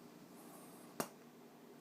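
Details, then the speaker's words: Kinergetics KBA280 amplifier fed from a preamp: one sharp, loud pop against quiet hiss when the preamp mutes; a switching thump through the amplifier, also heard on input and TV channel changes; owner suspects the input stage, not confirmed. "as you can hear, that muting is very obnoxious."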